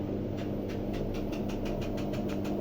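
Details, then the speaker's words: Washing machine brought in for an unexplained noise during washing: hum with a quick, regular scraping tick about four times a second as something catches on the drum; heater element checked and clean, unknown object trapped between drum and tub. "это что-то Цепляет за барабан"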